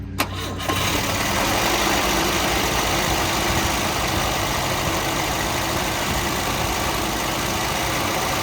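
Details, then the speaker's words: 1971 Volvo 142, B20B engine with 3236 carburettor, first start attempt after coming from its original owner: short crank catches at once, then settles into a steady, even idle with no misses or knocks. "who says the 3236 is a bad carburetor there you go that's a driver let's take her to Kyle meat huh sounds good too"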